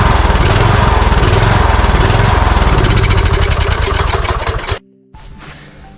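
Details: Cub Cadet riding mower with Kohler engine, customer complaint of surging, running on external tank of fresh fuel with no change: uneven hunting single-cylinder chug that won't settle, then cuts out; engine surging, suspected fuel starvation/carburetor.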